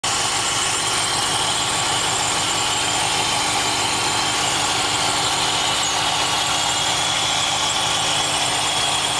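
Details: Engine idling after installing a new exhaust manifold to fix an exhaust leak: even, steady idle with a constant hiss and no ticking or puffing from the manifold. The exhaust sounds sealed, normal idle.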